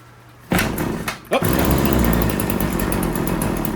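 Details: RedMax TRZ230S two-stroke string trimmer, reported hard starting, running rough and leaking fuel at the grommet: after priming, several pulls fail to catch before it fires and buzzes unevenly; hard starting.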